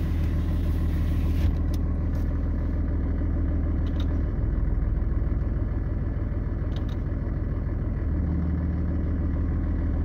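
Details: 2007 Dodge 6.7 Cummins after repairing exhaust manifold gasket leak that caused exhaust brake squeal: steady, even diesel idle with smooth low rumble, only a faint tone left.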